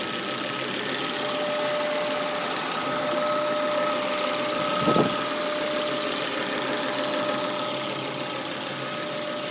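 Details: Volvo V70 petrol engine idling cold, oil trap and hose to the oil cap already replaced: a steady high whistle-like whine that stops when the dipstick is removed and is absent when warm, likely crankcase ventilation.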